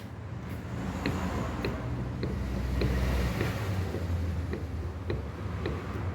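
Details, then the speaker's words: Fiat Argo front suspension: sharp light knocks with each rock of the car over a low hum; knocking shock absorber found. "Mas tá aqui o barulho, ó. Eu achei."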